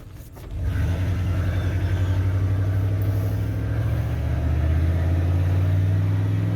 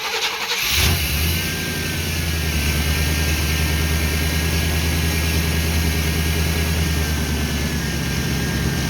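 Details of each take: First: 1988 OBS truck, warmed up, on a road drive after new ignition module, distributor cap and rotor to cure a misfire: pulls smoothly and evenly as revs climb, no misses, skips or pops; transmission slips slightly into third. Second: 1988 OBS truck after new ignition module, cap and rotor, warmed up: catches and settles into an uneven, lumpy, stumbling idle, still misfiring as before.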